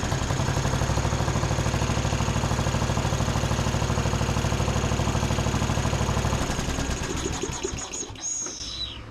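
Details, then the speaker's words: John Deere D110 riding mower, no load: fast steady single-cylinder putter that idles down smoothly with no surging. "But so far that sounds pretty good. I mean, it idles down and everything. There's no surging."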